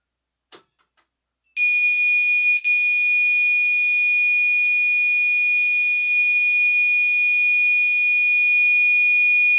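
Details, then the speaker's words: Fire alarm horn retested on 2400 Hz tone with California code during a system test: after a click, a steady piercing high tone sounds unbroken for eight seconds, with a slight shift; horn sounding correctly. "alright we're back on the big camera let's go ahead and give California codon 24 hundred Hertz another try"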